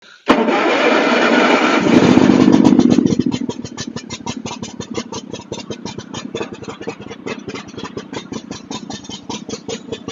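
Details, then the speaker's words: John Deere X324 all-wheel-steer riding mower with automatic choke, suspected of water in the fuel: the engine catches, then settles into an uneven, loping thump around four beats a second, like an old two-cylinder John Deere. Rough running. "When it runs like an old twocylinder John Deere, like an old 60 or something like that."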